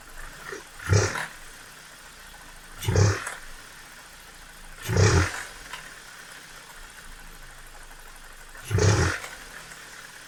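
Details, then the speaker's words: BMW E46 3 Series with N42/N46 petrol engine, revved six times with the air duct removed: a rough metallic rattle flares with each rev. Cause is a jumped timing chain and broken chain rail guide, possibly from a weak tensioner; VANOS camshaft codes, reduced power, higher fuel use. "okay okay so uh as you could hopefully hear there is definitely some weird noises coming from the engine it does sound like there's an issue with the chain or maybe the vanos control units"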